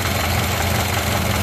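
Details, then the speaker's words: Ford Model A running with fuel cut off at an in-series gas switch: low rough idle begins to chug and lope unevenly as the carburettor bowl runs dry; fuel starvation. "so that's a gas starved engine as you can hear that so no gas"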